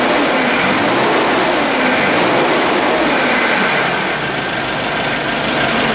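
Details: Nissan forklift petrol engine, no-start already fixed by replacing the cam sensor, runs rough when revved: steady but uneven with faint irregular stumble; snap test showed no spark reaction on cylinder four; misfire from faulty ignition coil.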